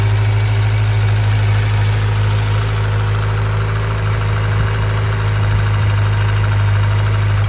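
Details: 1995 Suzuki GSX600F Katana four-cylinder with carburettors synchronised after valve adjustment, oil change, new spark plugs and correct carb vent pipe routing: smooth, even idle with steady low hum, no ticking or hunting; normal idle.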